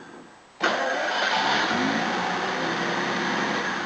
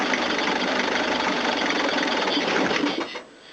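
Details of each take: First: Hot restart after new timing belt, water pump, thermostat, top hose and rocker cover gasket; previously wouldn't start hot. Catches on the first crank, then a steady idle that hunts slightly before settling. Normal hot start. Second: Toyota diesel cranking after a fuel filter change with the pump not working: steady fast starter churning, about 3.5 turns per second, no firing; air in the fuel lines, injector lines may need bleeding.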